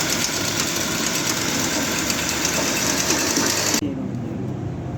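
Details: Harsh, rattly car engine running with an uneven, loosely regular beat near four per second that rises and falls with the throttle; rough running, not smooth, cause not stated.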